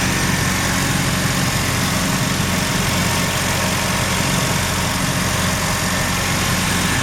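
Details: Mazda RX-7 rotary, failed annual inspection with very high CO (2.70): low uneven idle with irregular stumbles and loping beat, shaking; misfire worst with slight throttle; no oil pressure shown, no leaks; ignition leads already measured; cause not yet found.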